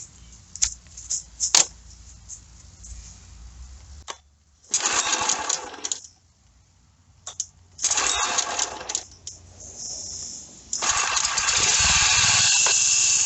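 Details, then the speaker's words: Old John Deere, owner fitted new carb but it won't stay running; visible broken part letting in too much air: engine fires in short bursts only after squirts of cleaner, then dies; intake air leak confirmed. "So it's not firing up. So we're going to squirt a little cleaner in here and see."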